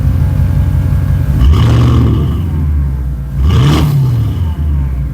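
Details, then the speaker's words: 2006 Porsche Cayenne Turbo V8 first startup after DIY muffler delete (four cats, no resonator); deep rumble at idle with two quick throttle blips, rising and falling smoothly, quieter than expected; healthy open exhaust. "All right, first startup. Wow. Not too crazy. That sounds good. Yeah, it's actually not too crazy. I figured it would be a lot louder."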